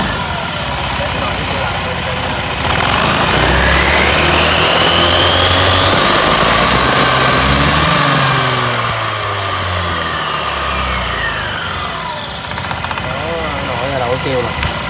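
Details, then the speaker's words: Honda Lead 110i scooter, high mileage, weak with shaking; pulling away with quick steady clacking about four a second over the running note; worn CVT clutch judder, fixed by clutch rework and air filter replacement. "bây giờ test cái nồi viết Honda l l 110 nè chy lâu rồi nó hơi yếu á Lì rung nữa chạ không"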